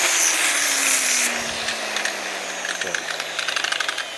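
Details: Used corded angle grinder in decent shape, free running; brief high even whine at full speed then smooth falling hum as it coasts down, healthy example of how a used grinder should sound.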